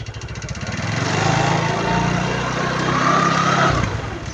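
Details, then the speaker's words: Yamaha Mio 115 scooter after bearing replacement, idle lowered from set-too-high: engine climbs on throttle into a smooth even drone as the lifted rear wheel spins freely, stops on rear brake; CVT drivetrain normal. "โอเคนะครูบีเบรกหลังนะครับอ่าปล่อยตรงนี้เป็นปกตินะครับ"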